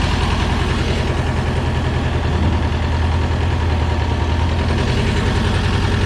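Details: 1985 USSR-built Belarus 250AS diesel tractor, sat unused about 8–10 years, after fuel-system and injection-pump timing work: steady, even low diesel chug with a firm regular beat, no misses or knocks; normal running.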